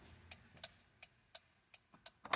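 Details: Honda EF, hazard switch on just after reconnecting the battery: crisp light ticks a few times per second over a quiet cabin; the hazard flasher is cycling normally.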